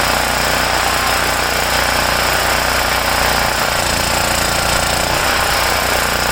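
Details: Homelite generator, 389cc Honda engine, after repairing no-start from poor fuel flow and dirty carburetor (ripped carb base gasket not replaced); loud busy single-cylinder chatter at steady speed, no surging or dying: running properly.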